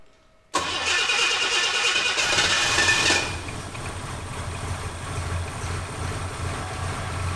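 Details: 1976 US Capri Ghia after fixing carburettor fuel leaks and refitting the fuel system: quick crank, catches, brief rev, then steady even idle; normal start and idle, though owner unsure it is spot on until vacuum systems are sorted.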